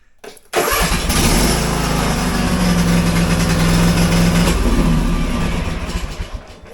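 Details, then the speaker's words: Cub Cadet zero-turn mower, cold, with a newly installed Tykool lithium battery: a brisk, strong crank catches within a second, then a steady, even idle with no stumbling; the starting system is healthy. "Okay. Well, actually cranks really strong. Oh, there we go. All right."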